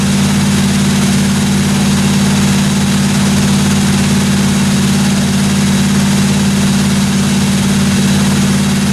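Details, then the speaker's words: 1957 Chevy 210 project car at a constant idle during its first-run camshaft break-in of about 20 minutes: smooth, steady low rumble with no top-end ticking or tapping; no weird noises, normal idle. "I actually got the thing broken finally uh sounded good I ran it for about 20 minutes got the cam broken everything sounded good in the the valve train I didn't hear any uh weird noises or anything like that"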